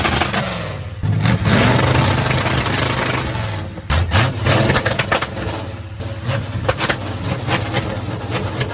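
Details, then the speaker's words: 1970 Dodge Charger big-block Mopar with an MSD 6AL box and electronic distributor: hard revving, then a rapid string of sharp pops and backfire shooting flames from the pipes. Rev limiter popping, backfire from rich mixture. "It just shoots flames out of the pipes, which is pretty cool, but doesn't really serve that much of a purpose, but breaks stuff, I'm assuming."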